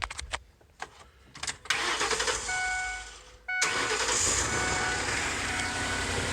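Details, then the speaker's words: 2007 Ford E250 van, 4.6L V8 automatic, 122,536 km, broken A/C pump with belt removed, possibly sat about a year: door chime, short crank, then clean firing to a quiet, even idle with no knocks; earlier roughness has cleared. "Runs pretty good, nice and quiet. It actually runs better. It had a little bit of roughness to it when we got it, but I don't think it'd been running a year, so it seems to have cleared itself up."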